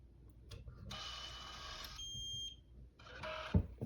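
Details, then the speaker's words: FiberFox Mini 6S core alignment fusion splicer doing its pull test as the lid lifts after a splice: a brief mechanical whirr as the fiber is tensioned, then a short steady high beep; "pull okay", splice passed. "when I lift this up it's going to do a little pull test and if it's all good in terms of strength it's going to say pull okay here at the bottom"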